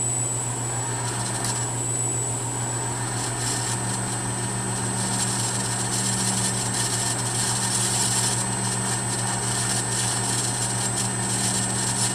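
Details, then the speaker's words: 1/2 HP three-phase motor on a VFD, ramped from 5 Hz to full speed at 60 Hz on trial for a machine rebuild; a steady, even hum with a faint high whine under a loud furnace roar. It runs smoothly, with only slight noise. "full-speed there that 60 Hertz so feels really smooth there's a little not sure if you can hear it over the furnace but there's a little bit of noise there"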